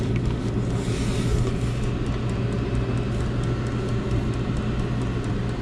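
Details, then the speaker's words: Diesel heater on maximum with the deflector fitted but the screen still missing: a steady, even burner roar with soft regular fuel-pump ticks; running healthy and putting out lots of heat. "Yeah. Fixed. Well, except the screen, but he's roaring anyway, so that's good. Got lots of heat going now."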